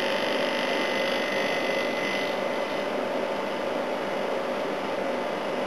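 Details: A/C unit on high fan, running well and starting to freeze up, after its compressor sat for oil (sounded oil-filled earlier): steady even hum, constant fan rush, clean tone, no knocks or rattles; compressor healthy.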